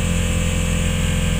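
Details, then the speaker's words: 1989 Eldorado Ford motorhome, key on: the in-tank electric fuel pump gives a steady hum with a low, even pulsing buzz and keeps running even though it was thought disconnected, but the fuel pressure gauge does not move; the pump runs without building pressure. "It's still moving, it's still turning, but the gauge is not moving, and the pump is still humming."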